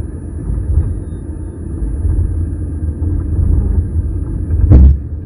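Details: Nissan Leaf 30kWh driving, phone recording through opened cover behind rear seat: steady road rumble, then a sharp pressure-like pop from the battery area that shakes rear and front left; occurs at 80%, 43%, 26% charge and over small speed bumps; cause unknown.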